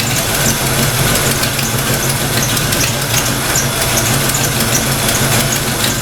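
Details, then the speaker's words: Fox-body Mustang V8 at idle after distributor timing set and thermostat installed, still warming up: smooth, even low rumble with no stumbling or misses, idling properly, steady oil pressure. "Sounds like it's running a little better already. It's actually idling. See if this thing heats up or not. Wow. Look at that. Just purring."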